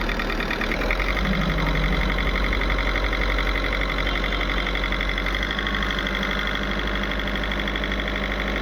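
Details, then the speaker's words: VW Polo diesel knocking when pulled in second gear, revved; injector work done and coded but not yet adapted. Hard, uneven knock about three times a second over the clatter; injector quantities need adaptation after injector work to cure it. "और जो knocking है injector का काम करने के बाद adopting करना पड़ता है। तो तभी इसका जो प्रॉब्लम है सॉल्व होता है।"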